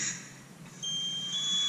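A shrill electronic alarm tone from a firefighter's personal alert device, warning that the wearer has stopped moving.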